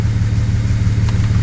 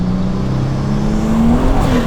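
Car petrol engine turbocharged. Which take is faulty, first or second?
first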